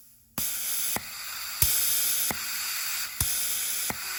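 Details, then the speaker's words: E4OD/4R100 transmission solenoid pack bench-tested with air pressure and 12 V, grounding each solenoid in turn. Steady air hiss steps with a sharp click about every second as each check ball seats and unseats: solenoids working normally. "one at a time I'm going to apply ground to it, and you'll hear it seating and unseating."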